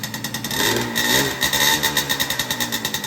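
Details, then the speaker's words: Banshee twin two-stroke ATV mid-build: lumpy uneven idle firing on one cylinder, second cylinder kicking in seconds later once warm; owner suspects crank seal or other causes, new carbs awaited. "so if you would have just seen in the clip right now that one cylinder turned on and then a couple seconds in the other one turned on which is not turning on"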